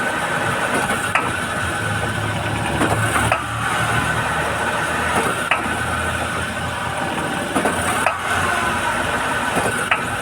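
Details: Honda Fit idling, sharp single clunks roughly every two seconds when shifting into drive and reverse; cause unknown.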